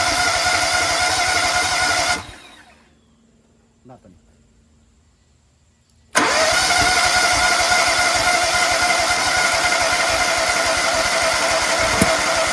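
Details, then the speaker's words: Toro Z-Master with rebuilt Kohler EFI engine, fuel pump primed to 40 PSI, injector cleaned and misting, valves checked: steady cranking about 3.5 turns per second, pause, more cranking, never catches; both cylinders later show spark, cause unconfirmed. "Why won't it start?"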